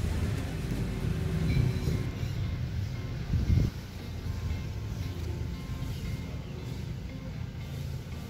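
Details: 2009 Toyota Yaris with oil warning light flicker and rough running, after oil flush: smooth, even idle with no ticking or roughness over faint background music; engine runs clean.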